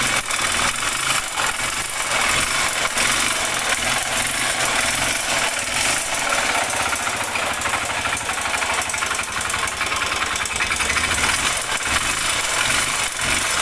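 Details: Honda Bros 125 motorcycle with a fast, harsh, rattly knock over the single-cylinder running, steady with engine speed; owner suspects connecting rod (biela) noise, not confirmed.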